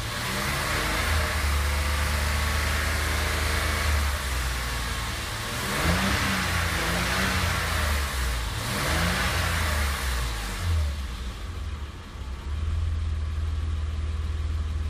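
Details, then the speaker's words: BMW E34 with an M20B20 inline-six, original mileage about 303,000, just after a cylinder head repair and camshaft replacement; it has no viscous fan clutch. Even, steady idle with a smooth low drone and a brief rev, no ticking or misses; it runs smoothly. "Все, работает ровно, мне нравится."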